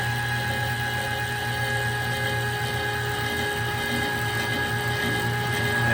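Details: Kitchen trash compactor after its popped-off drive chain was refitted: steady motor hum with a low gear drone, smooth and even as the ram travels. Compactor now cycles normally.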